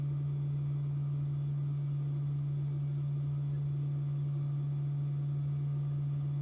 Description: This buzzing sound is usually due to the HVAC compressor located just under the dash which has a function to reduce battery temperature whilst supercharging. This is a normal sound and can be heard when standing outside the car as well.